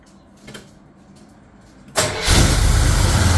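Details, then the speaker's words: Mostly original two-owner 1973 Camaro, first start after work, distributor turned counterclockwise: cranks and catches, then holds a fast steady idle near 2000 rpm instead of settling; finding is high idle. "the more I go counterclockwise the RPMs speed up and then I can't get it to idle correctly it'll idle at like two 2,000 RPMs so I got to turn it clockwise to slow it down"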